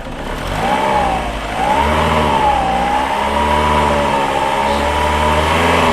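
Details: Older VW Polo 1.4 petrol, being fault-found for a no-start: engine revs up smoothly and holds an even, clean note with no misses or knocks as it rises and settles, sounding healthy.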